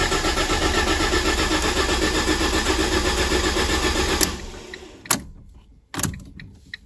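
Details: Ford KA, 2010–2011, after rear-end crash: starter cranks steadily about four beats a second but engine never catches; crash fuel cut-off active, hazard lights stuck on, no reset button on this model.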